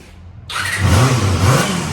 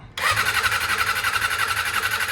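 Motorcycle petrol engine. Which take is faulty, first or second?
second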